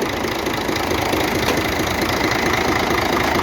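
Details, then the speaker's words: Scania diesel, valve cover off, unit injector being disconnected to find the knock: steady idle with a hard knock about four times a second over the clatter; source unknown, camshaft suspected next. "значит при отключении насос форсунки стук прекратится если нет значит полезу распредвал"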